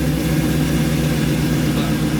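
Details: Chevrolet C10, restarted after loosening coolant lines to test for overheating: deep, even V8 burble with steady low pulse, no knocks or ticks; healthy idle.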